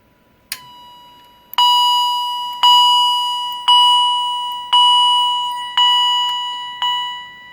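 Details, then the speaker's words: Edwards EST 757-5A-CS Integrity chime strobe, held close to the camera; one faint ding then six loud dings about a second apart when the switch is flipped up; chime seems powered while switched off, cause unknown. "I'm gonna flip the switch up, and you're gonna hear that quiet ding before it goes to loud dinging."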